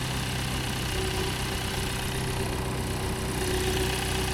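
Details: BMW diesel idles steadily and evenly just after the DPF was refitted and started to check for leaks. Oily, milky deposits were seen in the exhaust pipe, possibly coolant contamination. No puffing or ticking; normal idle, no leaks.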